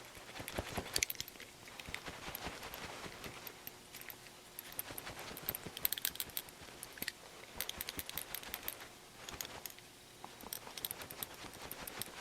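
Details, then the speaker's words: NOMA 8 hp snowblower carburetor shaken by hand: light uneven metallic ticks from the internal check valve moving freely, not gummed up; a stuck valve prevents starting or proper running. "there's a little check valve that goes on inside here i think it's inside here and it gets all gummed up and if it doesn't move it won't start the engine or it won't run correctly let's put it that way"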